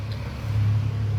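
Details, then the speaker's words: A Vespa scooter engine gives a low, steady drone with a faint loose rattle on the crankcase side. The rattle usually disappears when that side is pressed upward. "Oke, ada salah satu penyakit di bagian selahan ya. Ada bunyi ee ngeleter. Nah, kayak kayak gini ada bunyi ngeleter."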